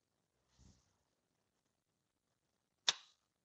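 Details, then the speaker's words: Allis-Chalmers B tractor magneto being timed, engine turned slowly by hand: one sharp metallic snap right at the mark; impulse coupling trips cleanly at top dead centre, normal. "all right start rotating it clicked as soon as it got there"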